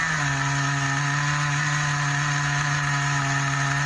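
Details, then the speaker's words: Schumacher XTR21 RC nitro engine during tuning, still running rich: high buzzing whine with a rough crackly edge, lazy and splattery when the throttle opens. Hesitation on throttle opening. "so it's still lazy when you open the throttle it's a bit splattery"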